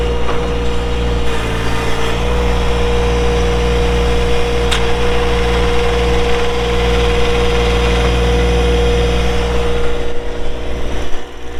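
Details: 2012 John Deere 1023E 4WD hydro compact diesel tractor, 370 hours, hood shut; low steady diesel rumble with constant mid-pitched hum, no knocks or misses, settling into smooth idle; normal idle.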